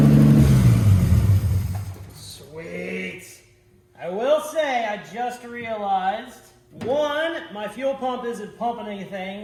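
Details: Ford F100 that sat about 44 years, restarted with a disconnected line and a dry tank: engine blips up and settles in the first two seconds, revving cleanly with no knock or miss; normal.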